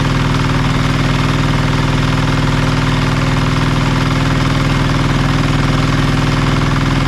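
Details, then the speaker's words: Marketplace diesel generator of unknown condition, tested after reassembly: deep, steady thrum at even four beats a second, no knocks or stumbles; engine healthy but generator still makes no power. "oh she's running really well been not making power still so we'll have to do a bit more digging"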